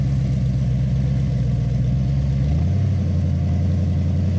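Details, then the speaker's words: 1966 Ford Bronco 302 V8 with Lunati VooDoo flat-tappet cam, headers and Cherry Bomb Vortex mufflers, after replacing a lifter with a bad metering plate: deep even burble rising cleanly in pitch on revs, no tick; normal idle and revving. "all right so uh i hope that sounds as good to you guys as it does to me because uh as you all know we have chased a few gremlins on this engine and but it really sounds good"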